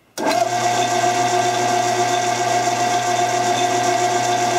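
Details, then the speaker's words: Chief machine headstock belt drive after new endmill holder shaft: steady metallic ring over motor hum with uneven light rattle about twice a second; suspected loose, cracked belt wobbling over sealed-bearing idler, not a dry bearing. "I think what it is the belt isn't tight enough and consequently it's kind of just rattling a bit"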